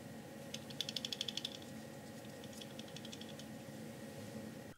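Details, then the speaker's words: Plate beam splitter in the advanced filter block of the 3D-printed PUMA microscope gives a quick burst of about ten light clicks as it rattles. The mount is free and puts no lateral pressure on the glass, so this is a normal free plate rattle. "that is a good sound it means that the splitter plate is free to rattle and so no lateral pressure is being put on it"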